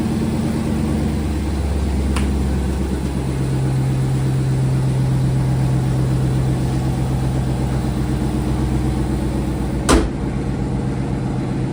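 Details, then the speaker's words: Dodge Charger RT after replacing exhaust springs: smooth even idle hum with no rattle or squeak from underneath; exhaust rattle fixed. "Boom. Back in action. So yeah, bro. Ain't no more rattling going on."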